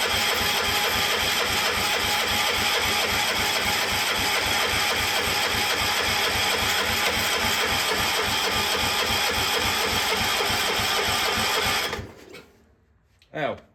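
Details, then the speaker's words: Cub Cadet 1250 engine, unrun for seven years, fed from a borrowed fuel tank: the starter churns an even rhythm, about four turns a second, for twelve seconds with no firing; no spark because the plug lead was off, and the engine likely flooded. "idiot I didn't have the spark blow hooked up great now it's probably flooded caught me off guard"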